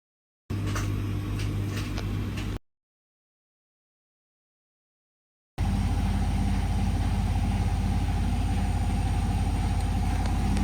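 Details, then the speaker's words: Whirlpool/Bauknecht washing machine in spin: heavy low drone with rhythmic thumping about three a second, strong vibration and knocking, most likely from worn shock absorbers needing replacement. "If you have strong vibrations and rattling noises in your washing machine during spin mode, you most likely have wear in the shock absorbers, and they need to be replaced with new ones."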